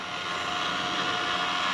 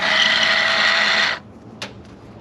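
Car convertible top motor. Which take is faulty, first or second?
second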